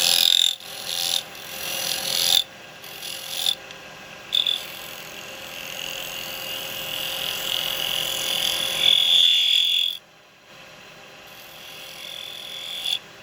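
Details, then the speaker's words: Woodturning a miniature cowboy hat from seasoned wood with a carbide chisel: high, croaking buzz in bursts as the tool bites; thin rim vibrates against the tool, causing chatter marks. "these are gonna have a bit of chattering on there we love chatter marks right"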